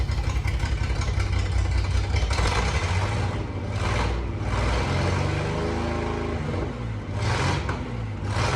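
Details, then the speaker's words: 1988 Jeep Comanche MJ 4x4 revived after years sitting, new fuel pump and lines; loud raspy open rumble swelling with throttle blips from exhaust cut under the cab at the first bend, not the header; motor itself sounds healthy. "It's not the uh header that's leaking or anything like that. Uh the motor itself sounds really healthy, but the exhaust sounds terrible."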